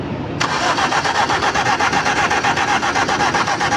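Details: Engine cranks but won't start because water got mixed into the fuel tank: the starter grinds in a steady rapid chug, about four beats a second, and never fires.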